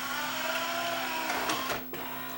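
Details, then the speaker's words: Yamaha CDC 705 CD changer after disc drawer belt replacement with a non-exact, more elastic belt: smooth motor hum and whir as drawer travels, soft clunk as it seats; drawer operating normally. "It's not the exact belt, as I didn't have the exact belt for this but at least this one here's got a little more elasticity than the original one, and it should do it for a while."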